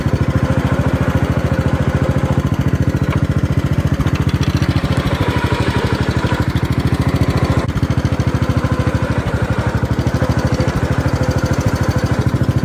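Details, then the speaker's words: Gravely 432 with rebuilt Kohler K321 single-cylinder engine, steady beat about 200 per minute after a two to three minute run: a sharp knock creeps into each stroke; engine to be removed and torn down. Cause unknown. "just here it's starting to knock and what I ran it for just two or three minutes that's it if even two minutes I drove it 200 feet probably and I could already hear it starting to knock"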